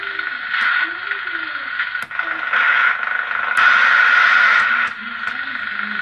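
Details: Reconditioned President Jackson CB radio, USB band previously mute in RX/TX, repaired and aligned: clear voice over steady receiver hiss on sideband, no dropouts or crackle; receiving properly.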